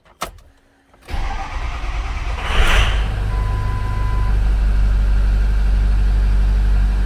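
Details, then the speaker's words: 2006 Ford F-250 6.0 Power Stroke V8 diesel, 347,000 km, check engine light, TBC fault, P0404 stuck EGR; short crank then lumpy uneven cold-start idle with blue-white smoke, suspected one or more glow plugs not working. "i noticed when i started it it uh it ran rough and blue white smoke like one or more glow plugs didn't work"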